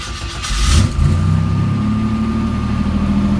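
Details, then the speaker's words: On a cold start: flares then settles into a loud, deep, raspy idle with a boomy low drone; exhaust leak, whole exhaust system hanging low and loose, to be replaced. "like you've had a lot of exhaust noise on it let me give it a cold start maybe I can maybe it will give you that noise I've been hearing"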